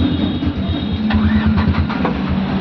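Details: Renault Kwid after repair of high idle rpm from coolant temperature sensor fault DTC 011516, check light still on: steady, even low rumble with smooth beat and no knocks or misses; normal idle.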